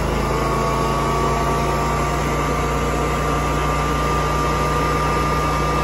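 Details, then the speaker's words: New Generac propane standby generator in auto mode, started after utility power was killed, transfer switch moved house to generator power: constant even engine drone, no surging or knocking; normal running. "there we go running on generator power"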